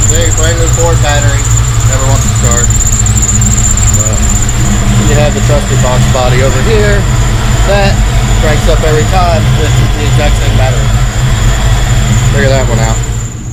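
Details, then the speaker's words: Jump-started '02 GT two-valve engine, sat for an unknown time, idling with repeated rising and falling chirping squeals from the front accessory drive despite a brand new idler pulley, tensioner and alternator: accessory belt squeal. "so as you can clearly hear the two valve terror behind me is sitting there squeaking its ass off with its brand new idler pulleys and brand new tensioner brand new alternator and bunch of other stuff but it just continues to squeak"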